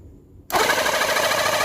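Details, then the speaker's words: Battery-powered portable jet cleaner (Reaim) that had been dead, humming without turning or pumping water. Tested after the rotor's grease was checked and its housing screwed back on. Short silence, then a steady, even hiss and hum with no knocking. Pump, piston and motor back to normal. "Oke, seperti itu ya. Sudah kembali normal ya, Teman-teman ya untuk pompanya dan untuk pistonnya dan juga untuk dinamonya."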